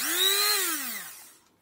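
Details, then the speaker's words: Promotec PM 590 blender after repair: a brief high motor whine rises, holds steady and winds down smoothly to a stop; it runs cleanly. "ну и вот так он работает"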